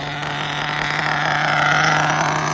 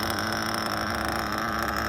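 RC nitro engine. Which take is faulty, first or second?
first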